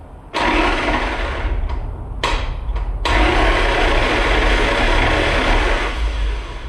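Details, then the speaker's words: Jeep Grand Cherokee drag car with Magnum engine and 440 flywheel, oil in, spark plugs out, starter via remote starter button: fast, even whirring spin in short bursts, no grinding; starter engages flywheel and spins free. "Starter works, spins free."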